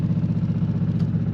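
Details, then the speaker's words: Onan generator in Arctic Fox 990 truck camper, heard inside the camper: loud steady low drone with fast even throb, no misses; runs smoothly but measures about 70–75 dB and vibrates things inside. "are actually vibrating this baby is loud"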